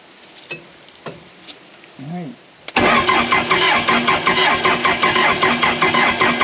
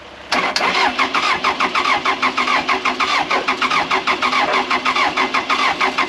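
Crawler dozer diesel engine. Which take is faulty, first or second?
first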